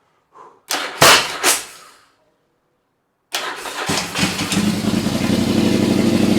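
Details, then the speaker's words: Yamaha XV1000 Virago, high-compression build with 750 heads on the 1000 engine and about 180 psi, first start on a jump battery on an early cold morning; sharp cranking bursts, then an even, strong twin throb. Normal start and rev. "That sounds sick. Sounds really good. I'm happy with that."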